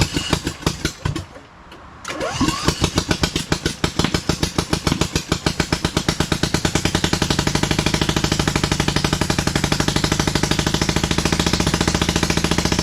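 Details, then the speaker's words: 27hp engine fitted to a Lesco Viper 54" zero-turn mower: cranks, catches and thumps in a slow, lopsided beat, low on power, really running on only one cylinder. "Okay, so I just figured something else out. It's really only running on one cylinder, so that's, it could be good news."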